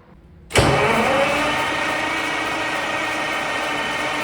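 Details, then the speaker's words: Caterpillar 3412 V12 diesel after sitting for years, with several injection lines cracked: steady starter cranking nearly four seconds with no firing; cranks but won't start, no fuel spraying from lines, fuel pressure suspect. "Still no fuel spraying out of these cracked lines."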